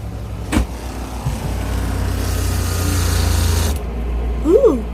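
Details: Newly installed fresh water washdown pump on a trawler, switched on after heat-shrink wiring connections: click, then a steady low electric buzz for a few seconds that cuts off cleanly; water runs and the pump works.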